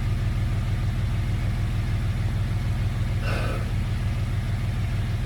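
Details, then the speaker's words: Jeep after removing a bolt that fell into the intake and held cylinder 3's intake valve open (zero compression): deep, smooth rumble idling steadily at 750 rpm, no misses, knocks or hunting; normal idle after repair. "It's idling perfect right at 750 RPMs."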